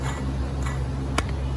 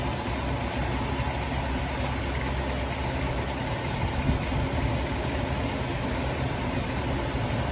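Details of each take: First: Removed Dodge Grand Caravan water pump turned by hand near the microphone: irregular dry ticks over a low hum from a failed bearing; pump also leaked from its weep hole, causing belt squeal and overheating; replaced. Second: Dodge Grand Caravan petrol engine idling steadily and evenly after replacing a leaking water pump with a failed bearing that had caused belt squeal; no squeal or bearing rattle, bleeding coolant.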